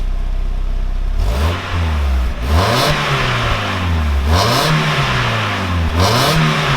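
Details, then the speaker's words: Mk1 Mazda MX-5 Miata on its old original standard exhaust, before custom catback: steady idle broken by three smooth throttle blips, pitch rising and falling cleanly; pretty standard sounding, engine and exhaust healthy. "Yep, pretty standard sounding."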